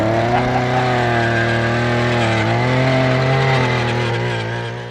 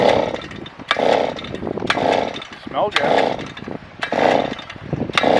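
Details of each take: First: Small two-stroke auger engine that ran earlier that morning, recorded in wind: steady running with a slight pitch droop as it settles, no misses or knocks; starts and runs normally. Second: Auger engine that ran earlier that morning: repeated rasping pull-starts about one a second that never catch; ignition switch apparently left off (suspected, not confirmed).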